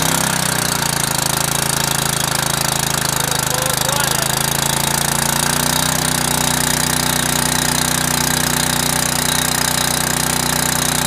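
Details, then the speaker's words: Generac 5000 W portable generator, cold start on full choke with automatic throttle, governor holds lower rpm before 3600 rpm (60 Hz) run speed: single-cylinder engine settles into a steady, even chug, hum easing higher as it warms; healthy. "of the governor to back the RPM off and let it warm up for a second before it goes up to the 3600 RPM run speed"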